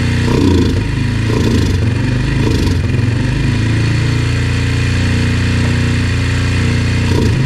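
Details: Yamaha TT-R 125 single-cylinder on stale, varnish-smelling fuel, started on choke: uneven idle with burbles and weak rev attempts that fall straight back; won't idle once warm until cooled; carburetor problems suspected.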